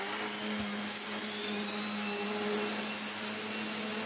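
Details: Vorwerk Kobold VK150 vacuum cleaner bought cheap secondhand, on carpet in automatic mode: steady even motor hum with clean high whine, no surging or rattles; running healthy.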